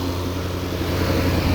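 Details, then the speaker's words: 2015 Jaguar F-Type, 72k miles, previously hydrolocked. At first start after the repair it gives a steady, even, low idle hum with no knocks, misses or ticks: normal idle. "it sounds good eh it sounds it sounds beautiful"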